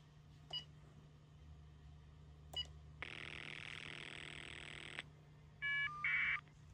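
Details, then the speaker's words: Telephone line butt set monitoring an incoming call: a buzzy two-second burst of the roughly 20 Hz ring cycle, then the warbling caller ID data chirp before the next ring. Normal ring signal with caller ID. "If you're able to hear, you could hear the ring cycle which is going about 20 hertz per second. And then you heard the caller ID data and another ring."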